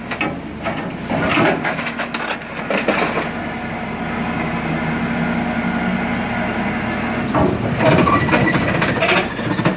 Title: Лефорт после ремонта. В работе.